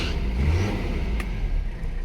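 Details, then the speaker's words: Mercedes 300CD, stationary in park, floored with lights, brights and a power window on: engine revs then sags and strains as the alternator loads it; owner suspects the belt needs more tension. "alternator is uh putting a lot of load on the engine that's kind of interesting"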